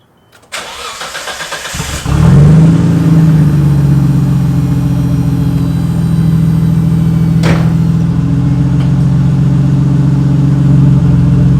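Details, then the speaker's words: 1991 Nissan Skyline GTR R32, cold early-morning startup: brief crank, then a loud raw droning idle because part of the accident-dented exhaust was cut away, leaving no muffler. "the exhaust is cut because from the accident, it dented the exhaust, so part of it had to be cut away."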